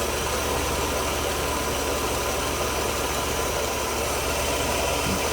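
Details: 1992 Mercedes W124 300 with hard starting after work; running rich, fuel mixture duty cycle adjusted toward 50% with 3mm Allen key, checked on a meter. Quiet, even idle with a soft steady hum, no misses or knocks: settles smoothly.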